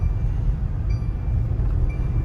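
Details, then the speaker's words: Mercedes-Benz V220d test drive over rough, bumpy road after underchassis repair for knocking noise: only steady low road rumble, no knocks or clunks; suspension rides quiet, problem solved. "Yan ano boss? Okay na siguro okay na wala na wala na wala"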